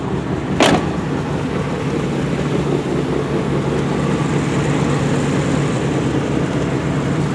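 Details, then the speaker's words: 1988 GMC 1500 automatic with a high-mileage V8 and an odometer reading 238,000 miles. A steady, low, even idle rumble with no knocks or misses under a faint background hiss: the old truck is running good. "old truck sounds are just running good"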